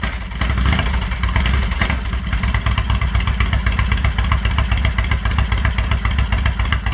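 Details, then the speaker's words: Kawasaki Vulcan 1500 V-twin after finding a dead fuse and priming the fuel pump: low, loping, steady beat with no knocks or misses, settling slightly lower with the choke off; healthy normal idle. "might do that again because it sounds a bit better now without the choke idles down a bit"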